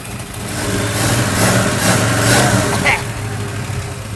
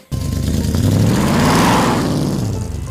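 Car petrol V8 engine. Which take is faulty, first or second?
second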